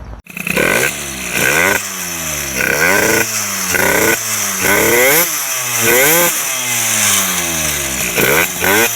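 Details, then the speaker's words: MBK 51 two-stroke with Bidalot G2RR cylinder, 24mm PWK carburettor and Ninja G2 exhaust, blipped revs: burbling, uneven pick-up at low rpm that clears higher up; mixture too rich at low rpm, top end could still improve. "on le voit que c'est trop riche he bon le bas régime c'est sûr c'est trop riche mais le haut régime je pense qu'on peut améliorer encore"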